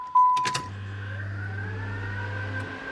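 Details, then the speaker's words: LS-swapped vehicle at key-on after wiring fix: jingle of keys, then a steady low fuel pump hum for about two seconds while the transmission cooler fan spins up smoothly; normal operation, dash now turns off properly. "y'all going to hear y'all going to hear the uh transmission fan the transmission cooler fan y'all going to a fuel pump"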